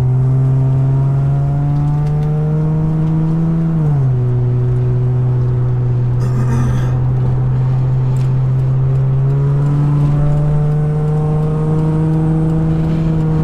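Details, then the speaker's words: Nissan Maxima with a swapped 75,000-mile engine and transmission, OBX headers and a new Vibrant Performance muffler, warm engine. A steady low drone that dips briefly and settles, with no rasp or rattle; much quieter than the old muffler, slightly deep. "it's super quiet like the other one used to make really loud noise but this one's not that bad it's not that loud but it kind of gives a little bit a little bit of deep sound"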